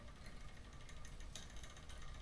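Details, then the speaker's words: Ibis Ripley AF SLX with $65 Evosid 165mm SRAM-based cranks and a new SRAM GX 12-speed chain on a Shimano drivetrain, cranks turned: a soft, even chain whir with faint light ticking; it runs smoothly, though the derailleur still needs adjusting. "this is promising this is pro this is good we don't have any sound here we're going smooth"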